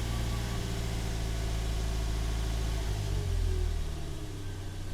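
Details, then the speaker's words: Toyota Yaris one month after a 1ZZ throttle body swap, parked at 0 mph: smooth idle, a short rev of about three seconds, then it settles back to a steady idle that holds; running normally, no check engine lights. "yeah so seems to be holding okay seems to be still good still holding fine"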